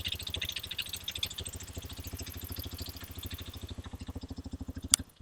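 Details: Hero XPulse 210, January 2026 batch, about 500 km, recorded at the silencer at idle: steady single-cylinder putt about three beats a second, even and clean with no ticking. Healthy idle.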